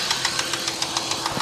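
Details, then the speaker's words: Holden Commodore VY wagon at first start on a fresh battery: sharp regular knocking, roughly seven hits a second, through the idle. Internal engine knock, cause unknown; engine teardown considered. "we have a little uh a little person inside there with a hammer somewhere now we got to get him out and sort that one out"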